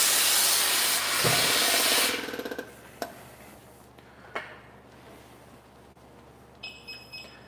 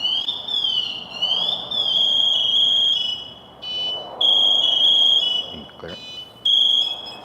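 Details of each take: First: Firefighter's SCBA air pack as the air cylinder is turned on: sharp rush of air that quickly dies away, then three short high beeps from the built-in PASS device, a normal start-up check. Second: Firefighter PASS alarm set off because the wearer stays motionless, as if injured or trapped. A shrill warbling electronic tone escalates into loud, steady high-pitched bursts, getting louder to alert others.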